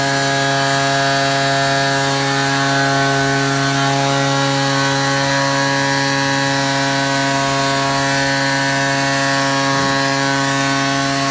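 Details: Ryobi 38cc two-stroke backpack blower, after a cold start with choke: constant high-revving drone with dead-steady pitch and no surging or sputter at full throttle; normal full-throttle running.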